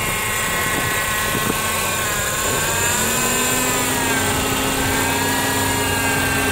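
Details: 2007 Honda CR-V power steering pump whine, worse after long drives and when turning, bubbles in reservoir: steady engine hum with high wavering whine; air ingress fixed by flipping pump o-ring.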